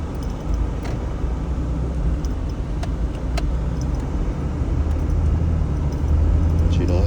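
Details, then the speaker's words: 2005 Jeep Grand Cherokee Laredo after replacing the bad idler pulley and belt tensioner, driving as revs build: steady low engine and road rumble with no high-pitched squeal that used to appear at higher rpm; normal belt drive. "You don't hear no squeaking, high pitch squeaking anymore. Even when I drive it and let the RPMs build."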